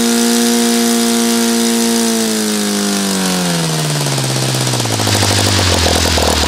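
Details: OS FT-120 II twin, glow-ignition (RCEXL), Omega FAI fuel, 18x6 Master Airscrew, final run before new carb: steady high-speed howl peaking about 6,600–6,800 rpm, pitch sinking smoothly as throttled back; top end set slightly lean.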